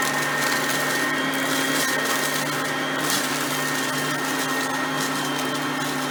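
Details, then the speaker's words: Oreck XL Platinum lightweight bagged upright on high speed, picking up crushed stale chips: steady high motor whine with an even airy rush, no surging or rattling. Normal high-speed running, quiet vacuum. "and as you can hear both are pretty quiet vacuums for being that there are both di"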